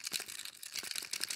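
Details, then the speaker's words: Fujifilm X-S20 camera being shaken: light metallic jingling and clicking in quick irregular bursts as the loose neck-strap rings rattle in their lugs. This is a build complaint, not a fault. "they rattle around and I hate it it's my problem it's a personal issue but I don't like it"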